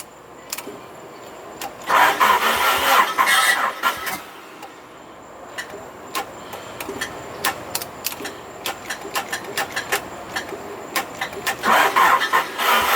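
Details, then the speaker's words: Car test-started after a fuel pump replacement, pump primed first: starter cranks in short bursts, then the engine catches and settles into a steady idle, no leaks seen; normal start. "though running we did it I don't see any leaks back"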